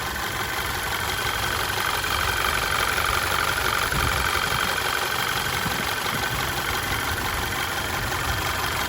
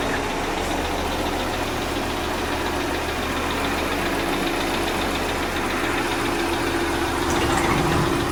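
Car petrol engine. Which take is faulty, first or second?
second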